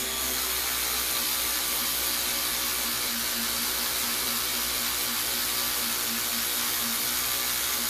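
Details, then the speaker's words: Power tool cleaning grime off an old 10 cm Hemklem vise: steady high-pitched whirring rasp with a rough buzzing edge, running roughly; owner suspects voltage regulator fault, unconfirmed. "This doesn't sound good. I think there's something wrong with the voltage regulator,"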